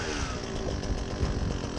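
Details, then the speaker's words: Husqvarna 122HD60 hedge trimmer: engine revs busily with an uneven low rumble while the cutters lag and won't spin fast. Friction at the blades was suspected at first; the clutch is slipping, grease-soaked. "the blades do not want to spin very fast at all normally a person would think that there's a lot of friction a lot of resistance"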